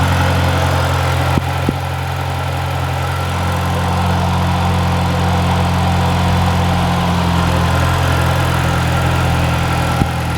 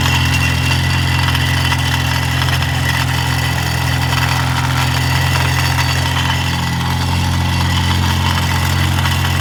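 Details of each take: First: Mini after tightening loose bracket and downpipe bracket to fix rattle at cold start: petrol engine idles with steady even low hum, no exhaust rattle anymore. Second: Mini with a rattle at cold start, heard from underneath: steady idle with a thin metallic buzzing rattle, suspected to be a loose or broken downpipe mounting bracket shaking the heat shield.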